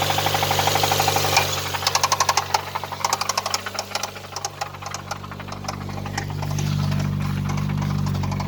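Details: Nissan R'nessa engine, last run: hard sharp metallic knocking about four per second following revs, smoke from under a hose; spun rod bearings, engine scrap.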